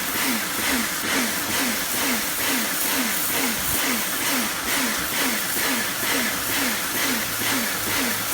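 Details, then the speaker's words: Kärcher pressure washer rebuilt from a B202 and a K2 14 with a swapped switch, running under load: hiss and hum surge and drop about twice a second; owner suspects a valve. "if you know why it's making that pulsing noise let me know not that one the one when it's moving it seems to be going on and off and on and off could be something to do with that valve i don't know"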